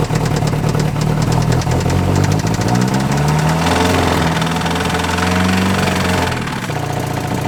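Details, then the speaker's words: Neglected Nissan Frontier four-cylinder on a freezing day with oil added to the cylinders: rough, lumpy firing that stumbles and sags near the end, heavy smoke; really bad low compression, rings or cylinder walls worn, needs rebuild. "Well, now that my neighbors are really concerned, yeah, we know what's wrong with it. It's got really bad low compression."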